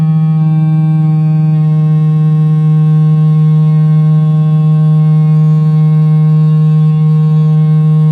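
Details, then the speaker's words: Cerwin-Vega AT12 speaker played with a low test tone around 8 Hz: steady tone with a buzzy, rattling edge from a loose cabinet joint vibrating with the woofer; cabinet breaking apart from loud use. "so that was pretty easy to figure out it was pretty loud that's what i heard when i had music going on them"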